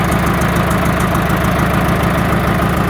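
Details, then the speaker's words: Even, heavy diesel chug at steady low idle with no misfires on a 1945 IH TD9 crawler, first start after the Bosch APE4A injection pump was rebuilt, reinstalled and timed; healthy running. "all right got the pump all reinstalled yesterday and timed properly and now it is time to fire it up see if it works all right so it runs"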